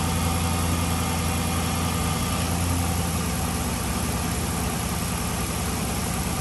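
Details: 2007 Chrysler 300C Hemi V8 that was overheating, after coolant refill, idling with heat on to burp air from the slow-bleeding system: steady, even low rumble, no ticks, knocks or misses; normal idle.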